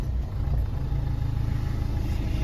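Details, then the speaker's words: Renault Duster after repair of a starting problem and warning-light and 4WD faults, with no parts changed and software involved: engine running with a smooth, steady low rumble, no misses or knocks. Normal, healthy idle. "নিন গাড়ি start করেছি, গাড়িতে এখন আর কোনো problem নেই।"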